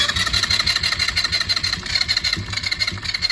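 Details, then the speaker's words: Chinese ATV small scooter-type engine whose starter kept spinning with key off, started via momentary button: catches but runs unevenly, popping and stumbling, sputtering and missing; starter and auto enrichener getting warm, plug and oil to be checked. "She spits and sputters a little bit."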